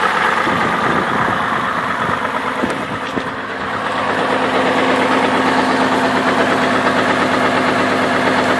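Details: 2002 Chevrolet Trailblazer idling with belt removed: regular deep knock about three times a second persisting without belt, ruling out water pump; suspected rod knock, not confirmed.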